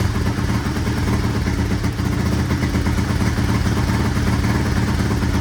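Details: 1983 Honda XR200R single-cylinder after top-end rebuild and engine overhaul, first start on half choke: quick even patter at steady idle, quiet with no cam chain slap or top-end rattle; cam chain adjustment to be checked once warm; normal idle.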